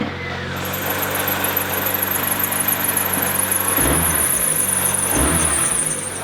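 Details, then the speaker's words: 20-year-old 1999 Mazda Miata MX-5 base model idling. A high squealing whir changes as the clutch pedal is pushed in and out: a noisy clutch release (throw-out) bearing. "let's see what you mean by the release release bearings seeing a big bit if he fires right up though first like a kitten oh yeah so you can hear it when you push it in and out yeah"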